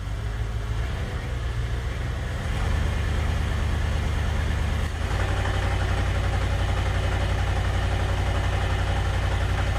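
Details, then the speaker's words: GM 5.3L LS-swapped Suburban driving in gear under load: lumpy, uneven beat around two pulses a second that doesn't clean up; scan shows misfires on cylinders 5 and 6, cylinder 3 fine; coil pack swap planned to test. "it doesn't really clean up under load so cylinder 5 and cylinder 6 are both kind of poop"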